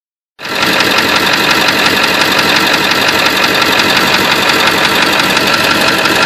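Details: Engine at idle with fast, light tapping roughly three per second over the engine note; owner suspects a bad injector.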